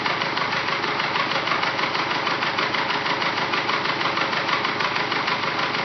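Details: Engine with forged pistons after rebuild, second try, at operating temperature: loud hollow knock and tick about three times a second over the idle, suspected piston slap.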